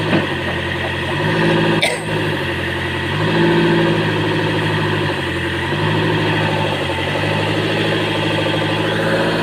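Heavy diesel idle with an uneven, lumpy pulse, roughly four beats a second, that rises and falls: weak compression making it run rough.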